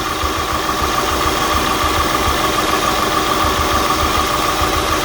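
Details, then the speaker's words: 2003 Acura TL V6 at idle with new spark plugs: rough idle, uneven low chuff about three times a second, codes P0300, P0301, P0303–P0306 and P1399; unplugging one coil changes nothing, failed ignition coil replaced, runs smoothly. "Brand new spark plugs, but it's still puffing and misfiring. Look what I found. If I unplug this coil, engine does not change the way it's running."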